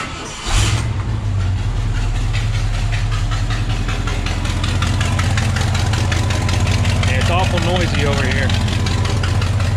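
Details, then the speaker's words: 1972 Ford F-250 Sport Custom camper special, 390 FE V8 with C6 automatic, at idle: fast, sharp ticking riding on the exhaust pulses from a bad exhaust manifold leak at the end of the manifold, pointing at the alternator. "what i need to do with it is it has an exhaust manifold leak and a very bad one at that it's leaking right right there at the end pointing right at the alternator"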